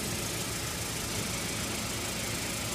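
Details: Saturn L200 after new fuel filter and fix of fuel leak near tank: steady, even idle with a smooth hum and no misses, knocks or rattles; engine sounds healthy, no more gas smell.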